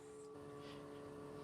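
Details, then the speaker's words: Military truck with new fuel filters that were pre-filled with fuel, its electric fuel pump switched back on with the engine off. Faint, steady electric hum at a fixed pitch, and fuel can be seen coming out. Electric fuel lift pump running normally. "i hear it i hear it going into that i thought i heard it yeah i hear it it's coming out now"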